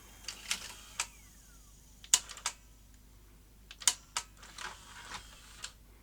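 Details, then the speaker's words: Philips VR2220 portable V2000 video recorder, damaged in the post, powered up with eject then play: scattered irregular clicks and clatters from the deck as it tries to thread the tape, then stalls; lace-up still jamming somewhere. "let's Power It Up eject select play and see if it laces up okay no it's still jamming up somewhere"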